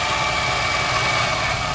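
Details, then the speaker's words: Maruti Alto 800 petrol engine with light throttle applied: harsh, rattly, hissing clatter and a thin whine over a low rumble, an abnormal engine noise in very bad condition. "ये देखो कितनी बुरी आवाज़ हो रही है इसकी। और दो हल्का सा, दो हल्का, नहीं बंद मत करो, हल्का सा एक्सीलेटर दो आप, एक्सीलेटर दो हल्का सा। ये देखो बहुत बुरी आवाज़ है गाड़ी की, बहुत बुरी कंडीशन हो रही है आवाज़ की तो है ना।"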